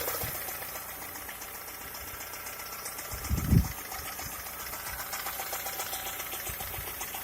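Quiet idle with a fast, light, regular ticking knock riding over the engine note and one louder thump; the knock's source is unclear.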